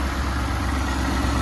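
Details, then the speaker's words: Ford F150 ute at idle after the intake fitting on the throttle body was sealed and tightened: a steady, even low idle with a soft intake hiss and no knocks or misses. The engine is breathing normally. "All good. I can hear air getting sucked into there."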